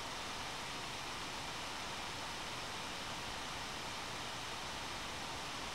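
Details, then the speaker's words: One Mix 2S Yoga laptop under Prime95 CPU load, microphone moved close to the fan: steady airy rush with no ticking, rattle or tone, rising to full speed as temperatures climb and CPU throttles; normal fan at maximum. "I'll shut up so you can hear the fan which will get louder right away and then even louder later"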